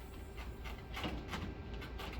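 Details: Treadmill, noise when stepping on deck while not running: faint repeated scuffing squeaks with each bounce, about three a second, traced to loose mounting anchors on the step saddle.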